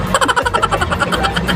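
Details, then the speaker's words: Yamaha NMax scooter that would not start despite a charged battery; burnt stator terminal/socket found and remedied by the mechanic, now starting and running with a quick, even putter, no misses or stumbles: normal running. "Ayan Tin sig start yun oh umaandar na Oha aandar na yan nasunog lang yung terminal sunog yung socket mga kapusa"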